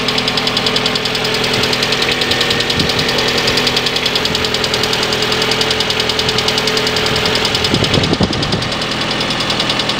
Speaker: самой распространенной неисправность современных двигателей это стук гидрокомпенсаторов